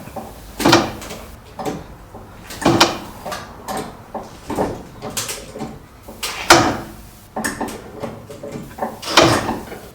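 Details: Citroen Relay self-converted camper van: sharp creaky bangs every couple of seconds from the rear suspension while jacking the body; owner suspects worn bushes on the rear leaf spring, unconfirmed.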